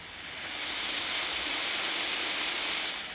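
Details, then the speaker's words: 1964 Wards Airline AM/FM transistor radio, Japanese-made, powered on for diagnosis before repair; steady even hiss on both AM and FM with no stations; radio hiss with no station reception. "both AM and FM and no reception"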